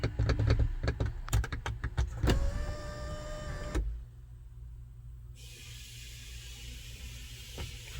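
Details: 2014 GMC Sierra SLT 4WD 6.2L L86, intermittent sunroof operation with no codes, during the sunroof initialization teach procedure: switch clicks, then an even motor hum for about 1.5 seconds that stops cleanly; sunroof motor working normally.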